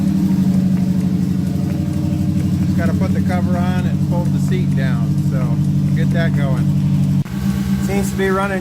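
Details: Subaru Baja that lost fuel pressure and ran lean under boost from a failed fuel pump assembly seal; pump reinstalled with OEM-style gasket and primed: steady even low idle, no miss or stumble; idling normally after repair.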